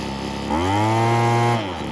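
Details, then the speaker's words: 80s/90s McCulloch gas leaf blower, two-stroke, sat outside a long time and is burning off oil. After a Zama carb kit, new fuel and air filters and a kinked fuel line fix, it gives a crisp, even, chainsaw-like buzz revving up and down cleanly. Normal running. "it's probably been sitting outside for a long time but yeah almost sounds like a chainsaw it's pretty cool"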